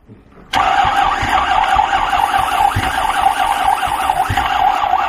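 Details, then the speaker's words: 1993 Lexus LS400, original 1UZ V8, first start attempt after sitting: heavy slow cranking about two to three turns a second under steady starter whine; weak battery suspected, unconfirmed; it then started. "battery battery battery [Laughter] coming up slowly come on i can't started"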